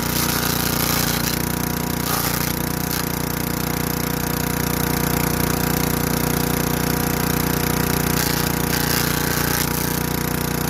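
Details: Craftsman Eager 1 4hp chipper vac (model 987.799790, auction flip) chipping sticks. Steady, even engine beat with bursts of snapping wood, speed holding firm; bent sticks don't go through. Running healthy.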